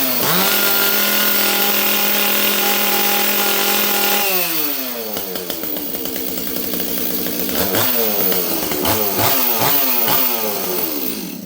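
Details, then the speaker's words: Stihl 026 chainsaw after a month of repairs, held at wide-open throttle. It holds a steady high scream without leaning out or rising in pitch and stays rich. It drops cleanly to idle and blips crisply; no air leak, running properly. "Let's hold this thing wide open. Listen, it doesn't lean out. It stays nice and rich."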